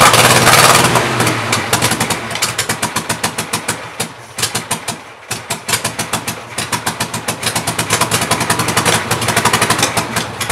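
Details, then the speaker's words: Mystery VW engine for a '59 ragtop after replacing bad cylinder-one plug wire, new plugs, cleaned carburetor and adjusted valves: uneven lumpy misfire-like idle, irregular pulses; owner thinks it needs a new carburetor, battery dying. Rough idle. "all right not too bad my battery's dying on me so that's all I could really show but uh I think I named I need a new carburetor but this thing can run so I'm pretty happy with that"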